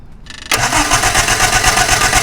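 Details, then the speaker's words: Hillman Imp 1040 race engine with a misfire, cranked with an ignition wire pulled and plugs already changed. A steady, even pulse rhythm with every beat alike: compression equal across cylinders, internal fault not suspected. "right that's fine right it sounds like each cylinder got equal to the next one so I'm not thinking that we've got a uh internal fault"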